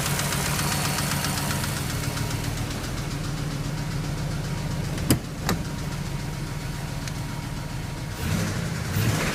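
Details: BMW X5 idling: uneven light knocking under a steady low hum, with a couple of sharp clacks; owner doesn't know the source.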